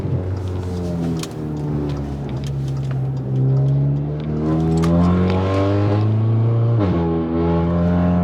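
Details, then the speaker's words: Audi A3 with Stage 2 tune and CTS downpipe, after reattaching the disconnected midpipe and tightening loose clamps: revs rise and fall smoothly with no low drone. It is still raspy between 3,000 and 4,000 rpm, with some pops. "yeah so it's still pretty raspy out the back between like three and four uh so I guess that's just how it is with the tune"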